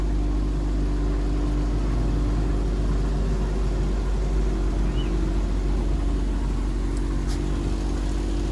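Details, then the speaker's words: 2007 Ford Focus towed in with a no-start caused by an aftermarket alarm/immobilizer; with the alarm disconnected it now idles smoothly with a steady, even low rumble and no knocks, misses or squeals. Normal idle. "We disconnect the aftermarket alarm, and that's it. The car is running fine."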